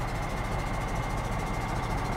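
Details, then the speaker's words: Cheap used semi truck with wet kit/PTO, diesel idling: steady low rumble with faint rhythmic huffing from the air compressor charging; compressor working normally. "so here the air compressor running it's doing its job that's what that noise you hear right there the huffing noise"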